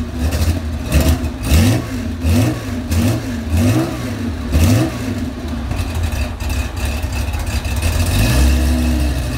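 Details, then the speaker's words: Porsche 911 SC 3.3 wide body, about 35 years old, M&K exhaust headers and PMO carbs, cold start: revs blipped with uneven pops and crackle, backfiring while cold; smells rich, cause not yet found, runs smoothly once warm. "As you can see, she's a little temperamental when she's cold. Sounds like I got some backfiring going on. Smells like it's running a little rich."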